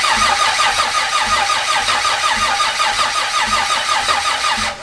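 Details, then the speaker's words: Barra-swapped Mustang GT350 first start: steady cranking with even compression pulses, no firing; crank no start, RPM reading flashing 250/0 while cranking, suspected power issue or cam/crank signal sync problem. "I was on the phone with Freddie, and our first issue that we're trying to address right now, as we crank, the RPM reading is like flashing 250, 0, 250, 0, which means there's probably some sort of power issue or possibly like a sync issue between the cam and the crank signal."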